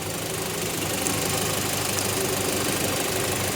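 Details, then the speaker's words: 2000 Rover 75 1.8 K-series after head gasket repair and valve lapping, mic under car: even, quiet idle, steady hum, earlier top-end tapping gone; quieter, possibly from valves now closing properly; normal idle. "It's quiet, isn't it? Nice and quiet. Better than it was."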